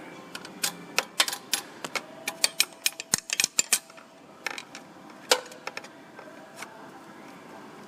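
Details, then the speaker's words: 2001 Ford Taurus 3.0L 12-valve with a rattling, scraping bell-type noise under the hood whenever the engine runs, easing a little with A/C on; a separated A/C compressor clutch plate rattles metallically against the pulley when shaken by hand. "and the noise they'll make is this Bell type noise and that's from all the rattling metal against the actual pulley here which is the Bell type noise"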